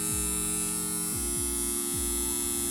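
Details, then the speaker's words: Homemade transformer with missing core laminations and no varnish, on mains: steady buzz with a deep hum and a rough edge; loose, unvarnished laminations vibrating and causing hum. "entonces cuando lo conecte probablemente va a hacer un zumbido aparte de eso que los transformadores necesitan un barniz que ya se encuentran en el núcleo precisamente que el núcleo quede más macizo y evitar este zumbido"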